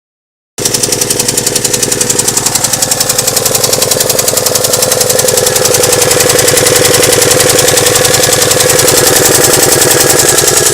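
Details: Alfa Romeo engine: hard, sharp metallic knocking about three to four per second, very regular and loud; started as light noise, now with detonations under load; cause unknown.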